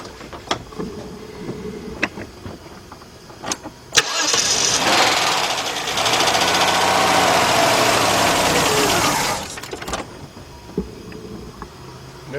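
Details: 1993 Chrysler LeBaron 3.0 cranks but won't start; clicks and cranking, then runs about five seconds on carburetor cleaner sprayed into open throttle before dying, pointing to a fuel delivery issue; fuel pump heard running, injector pulse check next.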